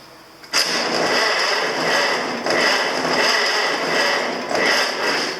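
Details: International I6 on a 6V system, fuel dirt fouling the carburetor: loud, labored cranking pulsing slowly about once a second and never catching; slow cranking.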